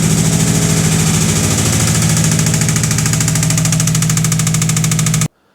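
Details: Subaru WRX after a fuel pump change, run before pulling the motor: steady fairly quick knock over a rough idle, in time with the engine. Deep internal knock, cause unknown; engine to be torn down.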